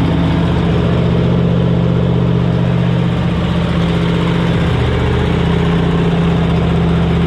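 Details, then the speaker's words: 1977 Cadillac Sedan DeVille 7.0L V8, idling in neutral, heard walking around the car: deep loud steady rumble with even low beat, unmuffled because the catalytic converter was stolen. "unfortunately yet again she was a victim of catalytic converter step so it's kind of loud"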